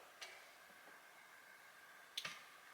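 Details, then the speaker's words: Relay for a Holley 12-426 fuel pump replacing a burned SU pump, wired to pin 87 and earth, key switched on: a few crisp, sharp ticks as the relay clicks in. Relay is working normally, not burned. "You can actually hear the relay click. Okay, so that's good. Relay's not burned up."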